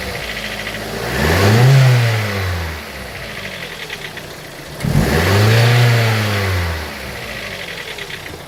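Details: Vauxhall Corsa VXR/OPC petrol engine after an oil change revved twice from idle: faint fast ticking at idle and an odd note under revs; strange noise of unknown cause.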